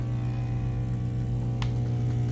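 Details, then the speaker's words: Bissell SpotBot 1200 carpet cleaner: only a steady low hum with no rush of suction. Vacuum motor not running because its ground wire had slipped off its contact point. "it actually was pulled off um of the contact point so it's not even it's not even it's not even plugged in"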